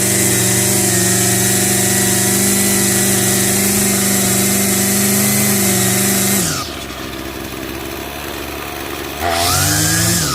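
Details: Revived curbside Craftsman 25cc two-stroke trimmer with a new fuel return line, restarted after a brief cool-down: holds a high, even buzzing rev, drops back when the throttle is released, then picks up cleanly again; repair successful.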